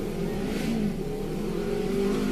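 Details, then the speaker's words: Petrol engine revving with a slightly uneven, stumbling note; fault code P0304, cylinder 4 misfire. "p0 304 p0304 missed fire number four selenas on never fall cylinders"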